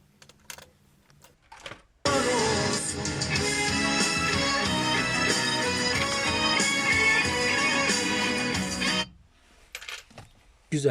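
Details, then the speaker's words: Honda Civic (2001–2005) front door speaker replaced with a 13 cm unit after the old one was suspected blown; test playback sounds full and clear across lows and highs, with no vibration, buzz or panel rattle. Normal speaker playback. "Bu kadar olay bu kadar sıfır vibrasyon tertemiz ses"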